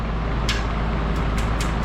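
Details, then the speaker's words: 1959 Westinghouse AM 17-2 pedestal fan, ran 8–10 hours daily for 64 years in a restaurant kitchen, motor very worn, only one speed works: steady motor hum with sharp irregular ticks as the blade occasionally strikes something, possibly the outer cage (unconfirmed). "It's hitting something occasionally. Maybe the outer cage, who knows? I'll have to look at it. But it was all rattly, and I think the motor's just worn out."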